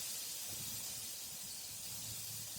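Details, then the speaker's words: 2023 Honda Goldwing rear tire: steady, high hiss of air escaping from a nail puncture after the nail, broken off about an inch long, was pulled out, before plugging. "all right you can hear the air hissing out of there looks like the nail itself actually broke off"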